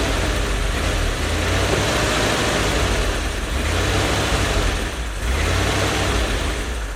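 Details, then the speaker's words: One-owner 1972 Chevy G10 van with a 307 small-block V8 and automatic, sitting since 1997, with a new fuel pump and fresh gas. It catches and holds a fairly even idle with a slight rise and fall, drawing fuel; running normally. "well here it is I moved it over to this spot it drove over here so that's pretty cool it is burning off a lot of whatever is on the manifolds the exhaust manifold but it's actually sucking fuel out of the tank"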